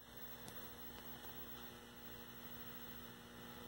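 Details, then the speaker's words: 1974 Zenith 17-inch Chromacolor II color TV under repair for brightness/black level: steady low mains hum with faint crackle as a filter is momentarily lost, possibly an intermittent shorted filter capacitor; intermittent mains hum. "here's another new symptom see that like I lost a filter momentarily or there's a intermittent shortened one so that's something else I'll have to look at"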